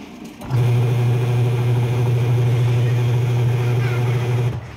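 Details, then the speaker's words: Manual washing machine spin test after a gearbox replacement for a cracking noise while spinning: steady low hum with an even, strong spin and no cracking or grinding; quiet and normal now. "anan okay ang tahimik hindi okay lang testing na natin to"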